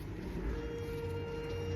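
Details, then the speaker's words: 2024 Tesla Model 3 Performance, noisy since day-one delivery, reversing with the wheel turned and on an incline: a steady mid-pitched hum with a low groan underneath; owner suspects steering or turning parts underneath, cause unconfirmed. "that does that noise on reverse. You have to get under here. You have to I think you need to change all the parts that go with um turning the tire from turning and reverse."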